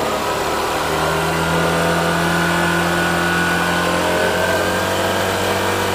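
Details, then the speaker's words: Honda Shine with a newly fitted replacement shutter-model carburettor, before tuning: small single idles steadily, then revs up and settles back with an even beat, no misses or spitting. The earlier problem is gone and it runs cleanly. "ఇప్పుడు బండి అయితే బురుగు పని అయితే మొత్తం పోయిందన్న."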